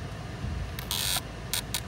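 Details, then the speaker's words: Ram ProMaster HVAC blend door actuator above the gas pedal, commanded between hot and cold: short bursts of dry ratcheting creak as it strains and fails because its gear teeth are stripped. "that creaking sound? It's trying to move. It's in hot right now. Set it to cold. It'll try."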